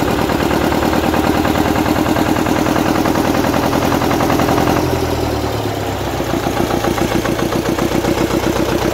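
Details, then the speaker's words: Gardner 4LW diesel, cracked head repaired, just started after priming and bleeding the fuel system on a very cold morning; old unrestored engine. Slow, uneven knock about four beats a second, steadying after a dip; normal cold running. "she's going to be a bit smokey now whenever she starts uh because it's very cold here this morning and um it's only to be expected this is an old engine"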